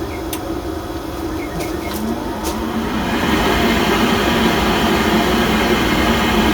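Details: Pentair MasterTemp 400 pool heater that runs but won't ignite: combustion blower spins up smoothly and holds steady airflow, vacuum switch closing immediately. Blower and switch are fine, and the ignition failure is elsewhere.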